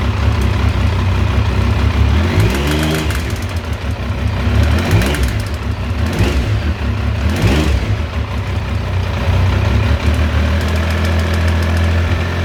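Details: Triumph T595 Daytona engine idling and blipped through several quick revs, with an added mechanical noise riding on it; the source of the engine noise is unidentified and unexplained.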